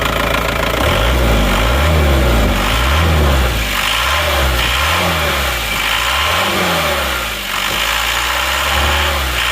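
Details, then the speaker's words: Diesel engine after repair of a snapped crankshaft (asrek), injection pump reset to standard, rotor head replaced and serviced; steady even diesel clatter at idle, no misses or knocks, exhaust smoke cleared; normal idle. "Nah kita coba dulu ya suaranya itu bagaimana kalau menurut saya ini sudah bagus sudah oke"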